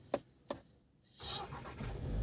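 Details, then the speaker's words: VW Virtus push-button start with the brake applied and the brake symbol cleared. Two soft clicks, a pause, then a quick crank as the engine catches and settles cleanly. Normal start. "ನೋಡಿದ್ರೆ start ಮಾಡ್ತಾಯಿದ್ದೀನಿ. So ಈ ರೀತಿಯಾಗಿ start ಆಗಿದೆ ಗಾಡಿ."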